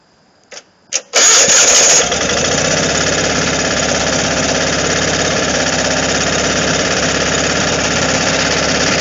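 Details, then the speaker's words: Onan Performer 24 engine in a man-lift, run choked at start, muffler temporarily patched: cranks a few times, catches and runs loud and raspy with a harsh exhaust edge; still takes the load but needs a new muffler. "it is going to need a new muffler on it but it isn't running and working condition he's going to start it up now this motor likes to be choked"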